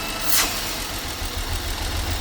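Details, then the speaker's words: 2015 BMW X5 F15 N55 with lean (P0171) and misfire codes: steady idle with a faint high thin whine from the PCV valve that disappears when the cap is removed; torn PCV diaphragm leaking vacuum, valve cover also leaking oil. "As you can hear, there's a particular sound. It's coming from the PCV valve, and you can do a quick test."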